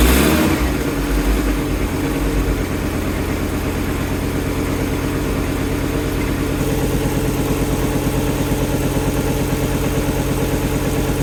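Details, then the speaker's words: Fiat Coupe after restoration, belt just refitted and tensioned: starts, catches, settles into smooth even idle with steady low pulse, no squeal or rattle; battery charging, no warning lights bar airbag (unit missing). Normal idle. "so first stage complete she's up she's running batter's charging we've got no warning lights on the dash"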